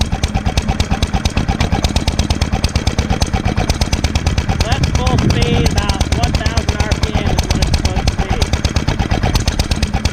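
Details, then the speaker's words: 1946 International Harvester LB hit-and-miss gasoline engine, freshly rebuilt, started cold, sped up to full speed; fast even crisp exhaust chuffs, no stumbling: normal running. "cold may need a little more gas it's r at low speed right now so I'm going to speed it up"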